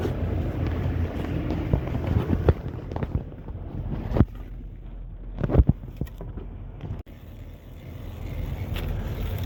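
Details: 2007 Ford F250 cargo van after alternator replacement, charging about 14.4 volts: steady low idle rumble with some clunks and wind on the mic; running smoothly and evenly.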